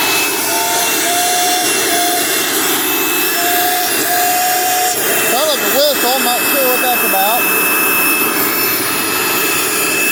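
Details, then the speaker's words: 2006 Dirt Devil Ultra Vision Turbo upright vacuum needing new brush roll: loud rushing roar with wavering high whistle, still runs; noise attributed to worn brush roll; loud running noise. "oh yeah this is definitely worth fixing that's why it's making all that noise okay but it still runs"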